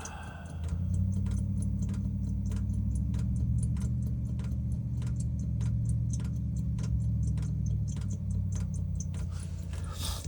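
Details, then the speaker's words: Chinese diesel heater in a caravan after E-10 error, water drained from tank, new filter and Fuel Doctor added, restart with exhaust hot: quick light pump ticks, three to four a second, over steady burner roar as excess diesel burns off; pump normal. "So, you can hear the pump. And it's just cooking off the excess diesel."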